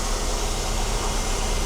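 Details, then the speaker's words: Mercedes W126 300SE after fuel distributor repair, warm at 80 degrees, idling at exactly 700 rpm, stepper motor at 5.3 volts, flow sensor recalibrated; brief steady low hum with no stumble or hunting; normal idle. "Current idle speed The idle speed is exactly 700"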